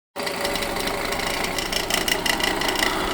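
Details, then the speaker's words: 2014 Toyota Camry idling with a steady gritty whir and a faint rattle. The water pump was already replaced but the noise persists, and the owner now suspects the alternator, which shows brown residue. Whirring noise at idle. "Bueno, aquí el carro estaba haciendo un ruido y yo creí que era que era la water pump y se la cambié, pero ahora me doy cuenta que que el ruido sigue sigue ahí y ahora veo que es el que es el alternador."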